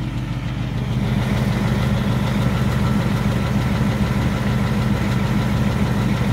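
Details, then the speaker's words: 2018 Ford Mustang GT V8, 6-speed manual PP1, high kilometres, owned three years, two to three minutes after cold start, mic near the left wheel: fast, light, even tick around three a second over idle; typewriter tick, owner unsure if harmful. "during cold starts on these vehicles it's very loud you're not gonna hear anything except two or three minutes into the startup so now you can hear it tick tock"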